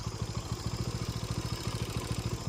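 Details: TVS Apache RTR 200 4V at idle, before repair: quick, even tapping about twelve per second over a low thump from worn camshaft and rockers in the head; owner wants it silent for long rides; valve train noise.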